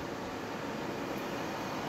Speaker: you can hear the fan going you can hear the fan going you want to let it go until it shuts itself off and then you click the button to turn it off